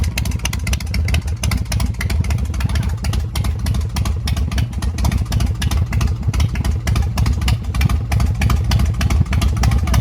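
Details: UltraCycles 120 hp V-twin chopper after an oil change: loud, lumpy idle with steady thumping pulses about three per second, no knocks or rattles; running healthy.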